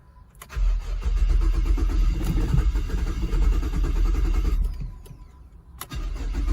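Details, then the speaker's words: 2008 Holden Commodore VE ex-police car after new spark plugs, with a TCM fault present: cranks, fires and revs unevenly, surging and bogging down when revved. Rough running, cause not confirmed. "Right. So, we managed to get this thing going, but she's not running that smoothly at all."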